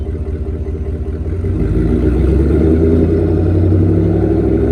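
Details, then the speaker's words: 2024 Ford F-150 5.0 V8, cold start right after installing an SPD high-flow catted Y-pipe. Low idle rumble with a quick rhythmic puffing tick, an exhaust leak heard only when cold and felt underneath. Owner hopes it seals and plans to retorque. "I don't hear hear it but when it when you crank it on the cold start you can hear it I got under there and I could feel it"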